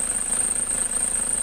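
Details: Idling engine with AC on: steady high-pitched whine over low, slightly uneven rumble from AC compressor, stops when AC is switched off; AC not cooling well, noise returned 2–3 months after earlier part replacement; compressor suspected, not confirmed.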